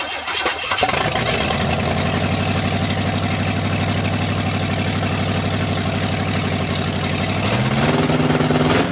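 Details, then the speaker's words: Cadillac V8 with new carburetor and ignition, cold day: fires and settles into loud fast steady idle, pitch steps up near end; choke not working, stuck on, idle running high. "so it fired up totally forgot choke is not working on this thing so it's stuck on wide open choke"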